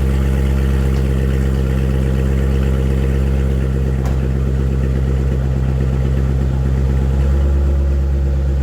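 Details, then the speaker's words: 2015 Corvette Stingray C7 V8 after broken rocker arm repair, first start: deep, even idle with a smooth steady rumble and no tapping or knocking; running normally. "all right sounds good I don't hear any knocking from under here engine sounding nice and smooth"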